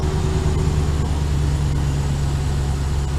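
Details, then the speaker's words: 2015 Ram 3500 5.7 Hemi idling after repairing a rodent-chewed injector harness behind the cylinder 5 misfire; steady, even low rumble with no stumble or skipped beats. Every cylinder firing, no misfire. "all right so she's really good now no misfire"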